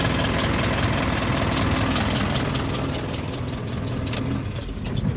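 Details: Isuzu NPR diesel truck after starter relay troubleshooting; a steady low diesel chug runs evenly with no misses or knocks; normal start and idle.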